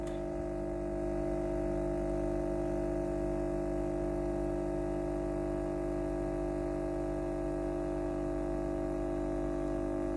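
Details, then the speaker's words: Philips PSG8160/30 steam iron after replacing the faulty water pump (was running constantly with no steam): steady even buzzing hum of the pump running normally, then stopping, followed by a short beep. "ตอนนี้ปั๊มน้ำเริ่มทำงานแล้วนะครับ"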